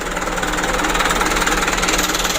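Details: Mitsubishi Canter diesel just started after new injection pump plunger fitted, before idle adjustment: steady, fast knocking pulse whose loudness rises and falls unevenly; unsettled idle still being tuned.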